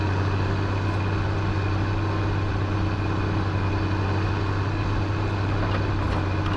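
Steady, even deep diesel rumble with no stumble or sputter in the rhythm; the truck engine idles smoothly and sounds healthy.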